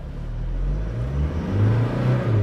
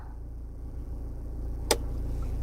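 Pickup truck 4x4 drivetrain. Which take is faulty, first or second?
first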